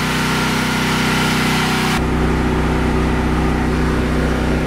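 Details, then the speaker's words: Briggs & Stratton 8 kW tri-fuel generator, 15 hp engine, running on pure propane: even steady drone with regular low pulse and no misses; noticeably smoother than on gasoline. "that's pure propane and it is a whole lot smoother it's very apparent"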